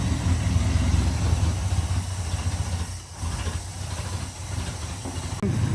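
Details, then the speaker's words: '65 AMC Ambassador after long storage, first running on a temporary fuel supply, fresh oil, alternator not charging: deep, uneven rumble with loose stumbling beat and a dip midway; running rough, cause not confirmed. "kind of running a little poorly."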